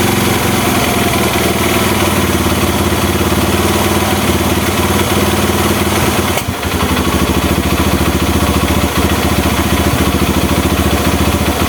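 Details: Honda Mega Pro mono after an air leak that stopped air-screw adjustment was fixed. It gives a steady, even single-cylinder idle thump with no hunting or stalling; idle now stable.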